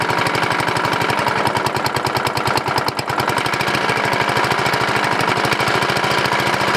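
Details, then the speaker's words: 14.5 HP OHV Briggs & Stratton single-cylinder riding mower engine, unused for several years, running after a coil/magneto replacement with a regular muffler; a fast, steady rubbing clatter on every turn, internal since it persists with the flywheel cover off; cause not yet found. "ok guys so the noise is internal I took the flywheel cover off and ran it and still make noise"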